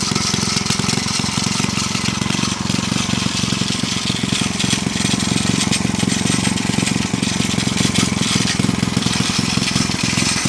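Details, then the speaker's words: Villiers C12A small engine, unrun for about 25 years, choke off, no air filter: uneven stumbling firing with rattly scraping, apparently from the loosely bolted, rubbing flywheel cover; runs rough, owner suspects a partially blocked carburettor jet. "as you can see the Carby probably has a bit of a partially blocked jet or something like that it runs runs a bit rough"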